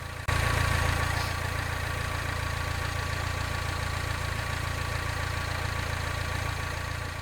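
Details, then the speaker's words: 2011 Mini Countryman at idle after repair; before, it had a terrible rattle like a rod knock for six months with no debris in the oil; now a steady, even idle with no clatter; fixed by replacing a pulley and belt. "first here's before and after literally it sounds just like it should"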